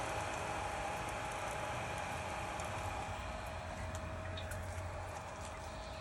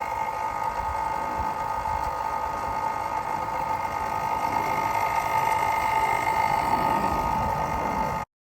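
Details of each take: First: Spike Flow pump after the DIY noise fix, magnet pushed flush with no gap and Allen screw retightened; quiet, even hum with a faint steady tone and light water gurgle, no rubbing or rattle; running normally. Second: Spike Flow pump whirring with a high steady tone and scratchy, chattering rub: drive magnet pushed too far up the shaft presses the impeller against the housing face; fix is checking and setting the gap.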